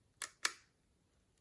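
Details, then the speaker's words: Mint, new-old-stock early Leica MP with M6 ISO dial, just back from Leica factory service: two crisp, soft shutter clicks a quarter second apart, quiet, smooth, no drag or rattle; healthy freshly serviced shutter. "that's the sound of the Leica service, fresh service. It's very quiet and soft. Of course, it's smooth."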